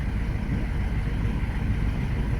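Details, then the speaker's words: 2005 Jaguar X-Type after immobiliser codes lost: steady even low rumble at idle, no knocks, misses or wobble; normal idle. "That sounds sweet as a nut. It sounds absolutely sweet."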